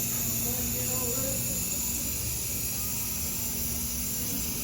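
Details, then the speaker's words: Brand-new narrow-gauge KTR 450 at factory inspection, air pressure built up: continuous sharp hiss over a low machine hum under the cab; air escaping at a solenoid that was not even tight, to be tightened. "I hear it. Sounds like it's coming from one of these solenoids. Let's see. That one's not even tight."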